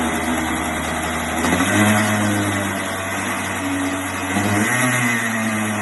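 Small single buzzes along evenly, picking up and settling back with the throttle, no knocks or misses; a fresh rebuild running clean.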